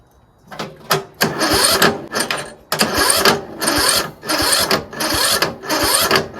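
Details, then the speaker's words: Troy-Bilt Pony lawn tractor, free: slow, labored cranking in short bursts that bog and stop at each compression stroke; valves likely out of adjustment, possibly automatic compression release fault. "That problem is the valves because it's it it gets to the compression stroke and it won't turn over easily. It doesn't go it goes. That's because the valves are out of whack."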